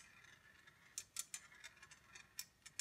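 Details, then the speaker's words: Congreve clock after oiling the pivots and adjusting the escapement: crisp light ticks several times a second, no scraping or stalling, the escapement running freely and smoothly. "now here is the escapement going nice and smooth"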